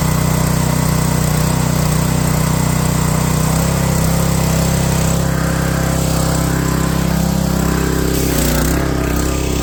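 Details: Pressure washer, small single-cylinder engine after a cold start, with the choke released slowly and the throttle turned up: steady and even at a constant speed, with a low throaty note and no misses or knocks. Runs healthy once warm.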